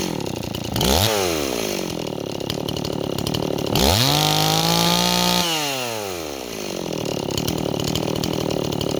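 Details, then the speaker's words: Stihl 026 chainsaw running a little rich: it idles roughly, then blips up and sags back with a lazy, blubbering pickup as it loads up on fuel, and it bogs in wood. "okay neighbors our sauce running a little rich but the problem is it Bob's in wood so should we take a walk and find some wood to cut neighbors as our saw loads up you hear that that's the saw loading up on fuel"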